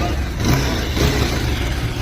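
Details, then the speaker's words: Bajaj Pulsar 220 revved after replacing the broken timing chain tensioner with an original part: deep steady rumble swelling with each throttle blip, no rattle or ticking; sounds like original, healthy. "ટેન્શનર નાખી દીધું, એનો અવાજ જુઓ. Original જેવું sound થઈ ગયું ને? થઈ ગયું ભાઈ. આ પાવરફુલ."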